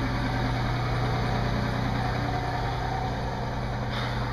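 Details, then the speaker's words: 1993 Ford F150 4.9L 300 inline-six 4x4, no-start with DTC 542 fuel pump secondary circuit fault, fixed by replacing the fuel tank switch: steady even low rumble at idle, no misses, knocks or hunting; normal idle. "so I went and I got a new switch for like 13 bucks and and now my truck starts right up there it is"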